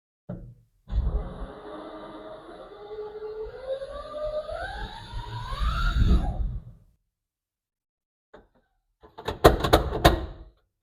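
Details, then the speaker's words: 1971 GMC electric truck with Lexus GS450H transmission, input shaft locked, spinning MG2 only, unloaded wheels, trans fluid pump disconnected: clean whine climbing smoothly as wheels spin up, light clunks on stopping; normal running. "Okay, I think that's as normal as it's going to sound."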